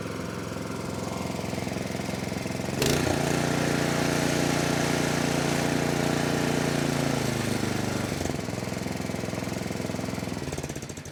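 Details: 24-inch snowblower that sat 2 years, after a quick carburetor-cleaner cleaning: the single-cylinder engine fires smoothly and evenly, picks up revs cleanly and settles back down. Running healthy with no misses.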